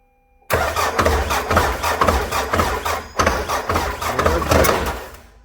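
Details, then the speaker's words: Nissan Navara D40 engine turned over: heavy, deep knocking pulses from the bottom end, not chain or camshafts but connecting rod/crankshaft; crankshaft found cracked, engine likely to be replaced. "конкретний звук з двигуна самого тому звук дуже сильний це не цепки не розпредвали це щось шатун коленвал"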